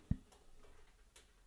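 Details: T-Fal OptiGrill preheating before cooking hamburgers: one soft knock, then scattered light ticks in a quiet room as the metal plates expand, which is normal.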